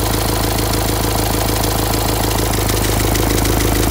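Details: Renault Symbol, a month after a full engine rebuild: steady idle with light regular ticking about three per second, and it won't start for about 20 seconds in the mornings.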